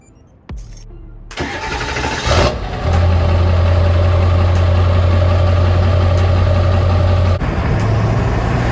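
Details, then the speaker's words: 7.3 Powerstroke diesel truck with a 5-inch straight pipe and a 5x7 AFE exhaust tip, starting up: it settles into a deep, steady rumble with a faint whine; the tip greatly reduces, but does not eliminate, the turbo whistle. "Exhaust tip to your straight pipe, it's actually going to eliminate your turbo whistle a lot. Maybe not completely."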